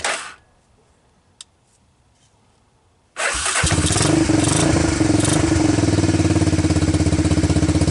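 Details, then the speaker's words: Honda TRX250 ATV single-cylinder after diesel-contaminated fuel was dumped and fuel fed from a bottle, choke on: catches quickly and settles into a steady, even idle thump about four beats a second; starts, idles and runs normally. "well seems to run idle start move"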